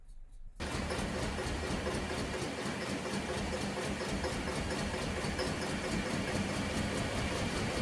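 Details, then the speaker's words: 2000 GMC 1500 parked 4 years with rodent-chewed wiring, just started after reconnecting mass airflow sensor: uneven, lumpy idle under steady hiss, slowly settling a little; owner suspects gummy injectors, exhaust checked not blocked. "Okay. Well, it's running, but it's not running very good. It's starting to do a little better."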